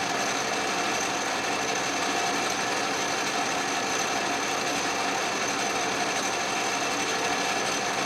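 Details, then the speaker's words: Restored 12-inch Atlas Craftsman metal lathe turning scrap brass under carriage power feed, lathe not yet leveled or bolted down: even steady cutting hiss and whir, constant motor tone, no chatter or grinding; normal turning cut. "that worked beautifully"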